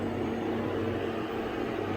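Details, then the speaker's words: 1995 Mercedes S600 V12 Japanese import at idle: starts right up, soft even hum with no ticks, knocks or misses, air pump quiet; smooth, settled normal idle. "engine is running starts right up always air pump is quiet no noises from any police quiet very nice engine runs really"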